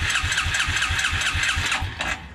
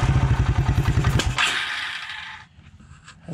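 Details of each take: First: 1996 Suzuki King Quad 300 4x4 ATV: steady, even cranking pulses about four per second for two seconds, then stops without firing; crank no start, carburetor missing its main jet. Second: 1996 Suzuki King Quad 300 ATV on its first start attempt, running without the air box or air filter: single cylinder thumps out a quick, fairly even idle before fading; normal running, perhaps slightly lean.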